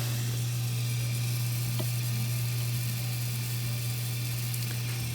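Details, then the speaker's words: Miele dishwasher after a generic replacement fill valve was installed to cure a machine-gun fill noise, slow fill and intake/drain error: steady low hum with a soft water hiss, filling normally with no chatter. "that's the correct noise that we should hear this will work for almost all Miele dishwashers regardless of the model"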